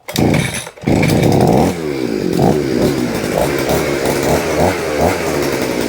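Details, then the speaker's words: Vevor two-stroke hedge trimmer, first cold start of the day on choke, throttle applied; engine revs and holds a buzzy high pitch with no blade chatter while the blades will not move, seemingly stuck: blades not moving. "giving it I'm giving it gas, but as you can see the blades will not move. It's almost like something is stuck."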